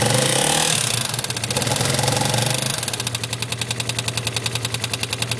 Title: Bruit moteur X-Max